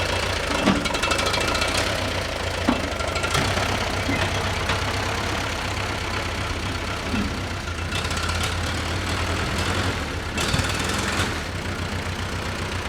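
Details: 1945/46 Allis Chalmers Model B tractor with magneto ignition, parked in a barn about 20 years. Steady idle with even firing and only a few light clatters; the engine sounds pretty good for an 80-year-old machine.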